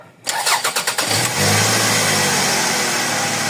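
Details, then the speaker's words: Toyota Previa after throttle body and MAP sensor cleaning, previously hard starting and stalling without throttle: about six quick cranks, catches cleanly and holds a steady idle without gas; no longer stalls. "So ngayon Ayan na hindi na siya namamatay"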